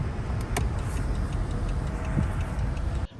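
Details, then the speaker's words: Loose sway bar bushing clunking on a Dodge Charger driven on a smooth road without hitting potholes: low road rumble with occasional sharp suspension clunks. "on the smooth road i'm not even going over powers you can hear that clunking sound"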